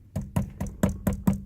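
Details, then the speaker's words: 2011 Ford F-150 SVT Raptor steering wheel rattle: sharp hollow plastic knocks about four a second from the wiring cable hitting a bushing inside the wheel; stops when cable lifted away, fixed with tape. "that it's coming from this bushing and this cable if I lift the cable up just gently away see it's gone and if I bring it back it's back"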